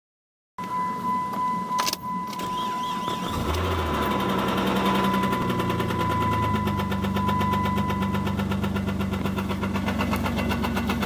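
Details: 2001 Chrysler Sebring DOHC V6: after a chime and quick start, idles with a steady hard knock, roughly four a second, from a bad connecting rod bearing.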